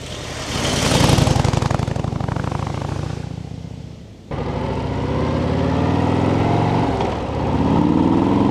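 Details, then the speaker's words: Harley-Davidson Street Bob 117ci with stock exhaust: quiet, even V-twin lope with a light, steady ticking of valve train clatter audible because the exhaust is so quiet. "And the only thing I would really complain about the sound is because the exhaust is a little bit too silent. You can hear the valves rattling, and it kind of gives you a Ducati feeling, which you really don't want to have on a Harley."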